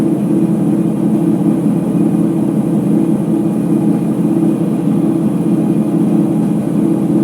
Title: Ipso HF 65 commercial washer final spin with bad bearings